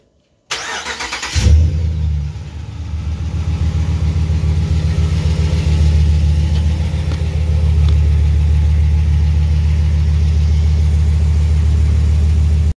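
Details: 2019 Ram 1500 Bighorn Hemi V8, 57,000 km, aftermarket exhaust with resonators cut out, after the exhaust manifold leak was repaired under warranty. Catches after a short crank and settles into a smooth, deep idle with no ticking or puffing at the manifold.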